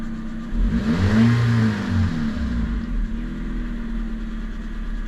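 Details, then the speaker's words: Toyota Yaris, 61 plate, just collected from auction and left to warm up: small four-cylinder revs up cleanly, then settles back to a smooth idle with no knocks or rattles; sounds okay, normal running. "Sounds okay, I guess."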